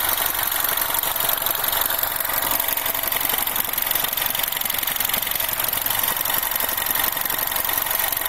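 Warm idle carries a busy metallic chatter riding high over a quiet engine, typical of a stretched or slack timing chain.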